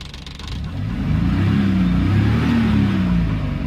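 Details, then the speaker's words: Maruti Suzuki Omni van after the new battery and charging repair, charging about 14 V: engine picks up cleanly from idle to a strong, smooth full rev and holds it without misses or stumbles; healthy. "কিন্তু তোমার ফুল pickup এতে দেখেছেন তো গাড়ি ইনশাল্লাহ ফুল rock"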